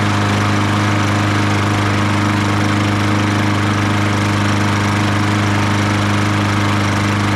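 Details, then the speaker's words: Troy-Bilt TB200 self-propelled push mower, Briggs & Stratton 625EX, after sitting outside for years and carburetor cleaning: fired on the first pull, strong even single-cylinder hum with no misses or surging, running cleanly. "I'll be Dar it fired on the first and it cranked on the second I am very surprised"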